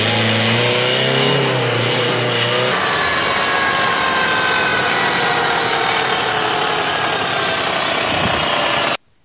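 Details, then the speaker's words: Manual-transmission car with engine running: steady whirring drone with a faint tonal whine over it; suspected damaged gearbox bearing or gear rather than clutch, usually heard with clutch pedal up and a gear engaged. "otras veces puede ser que el clutch no esté fallando y el problema sea la caja de velocidades puede que algún balero o engrane de la caja esté dañado y se escuche un ruido Como"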